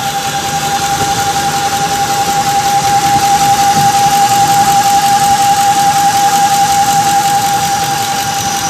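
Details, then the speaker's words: 2004 Ford F-150 Lariat V8 at idle with a steady whine near 800 Hz and faint rhythmic pulse; owner suspects water pump or power steering pump, unconfirmed; truck also has white exhaust smoke and vibration, new spark plugs. "I'm suspecting the water pump or the steering uh pump. I'm not quite sure. I'll let you I'm just going to stop talking. that you'll uh hear this uh whining noise."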